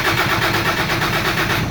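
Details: 2013 Toyota Hilux cranks but won't start: rhythmic churning of the starter turning the engine over, a steady pulse several times a second, but it never catches and fires.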